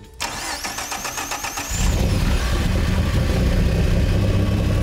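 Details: Newly installed Ford turbocharged EcoBoost engine in a bare 1955 Ford F100 chassis, first start with no cooling system: quick, even starter pulses, then a clean catch into a smooth, steady idle, no knocks or misses; healthy engine.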